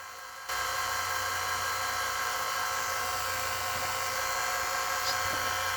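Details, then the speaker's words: 1983 Toshiba V-S36C Hi-Fi Beta VCR: a loud, steady high-pitched motor whine comes in sharply when switched to two-times speed, much louder than in normal play. The owner suspects this motor; the cause is not confirmed. "listen to how loud it gets when i put it in two times i think it's this motor"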